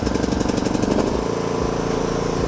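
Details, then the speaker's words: Dirty used riding mower just picked up, with fuel and oil checked. It fires right up with rapid even thumping, then settles into a smooth steady idle with no misses or knocks; it "runs like a top." The brake does nothing and there is no deck belt. "Runs like a top. That's impressive. Sweet. Well, first impressions, it fires right up. It runs fantastic."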